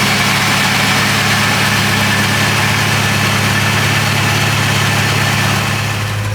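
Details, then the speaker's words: Porsche 928 V8 restoration car, fuel pump relay refitted, air breather hoses off: even, steady idle with low smooth burble, no misses, knocks or ticks; engine sounds healthy. "it's very uh very smooth I'm not sure how it comes across on the camera but it's super smooth"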